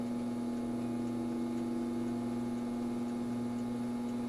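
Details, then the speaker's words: All-metal variable-speed solder fume extractor fan at lowest speed after oiling its dry bearings with 3-in-1 oil: steady low hum with slight vibration, smooth and even, no squeal or scraping; normal running. "it's kind of subdued but there were a lot of like type sounds that happened there uh this is at the lowest speed and yeah it kind of does have a hum and a vibration I can feel it here"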